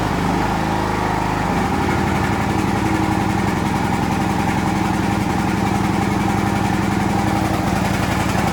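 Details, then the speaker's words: John Deere LX176 riding mower, which had been cranking a long time before starting, after choke and throttle cable adjustment: catches right away and settles into a steady, even idle with no stumbling, normal start and idle. "all right starts right off that's it thanks guys"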